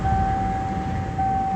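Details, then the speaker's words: 1987 Ford Ranger after a jumper fix in place of the compressor relay, A/C on and cooling: steady idle with a clear constant compressor whine, smooth and even, no knocks; normal idle with A/C compressor running. "Fire it up with our jumper plugged back in. Compressor is engaged."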